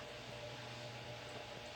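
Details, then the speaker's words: GT9800 graphics card fan after cleaning and thermal paste replacement (it had been roaring): quiet steady whir with low hum, no rattles or grinding; normal fan operation. "eu troquei a pasta térmica fiz a limpeza e voltou a funcionar sem por cento"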